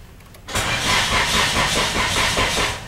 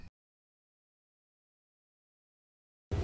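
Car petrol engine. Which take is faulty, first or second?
first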